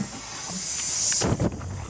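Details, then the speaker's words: 2004 Cadillac Escalade ESV with the 6.0 LS: while refrigerant with dye is charged in, a sharp, steady hiss builds as pressure goes in, leaking right out of the AC compressor. The owner suspects a bad compressor or possibly its O-rings; not confirmed. "you can probably hear it it's leaking right out of the compressor so I believe we've got a bad compressor it's either that or it's those O-rings"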